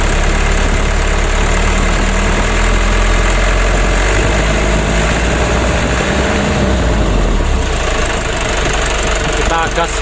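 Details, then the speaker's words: Mitsubishi 120 PS (Ragasa) diesel after nozzle service and replacing both left and right engine mounts with genuine parts: steady, even rumble with gentle rev rise, no knocks or shudder; engine shaking and cabin wobble at part throttle when hot now cured. "Alhamdulillah untuk goncangan mesinnya sudah teratasi ya dan juga untuk kabinnya yang goyang ini sudah tidak goyang lagi"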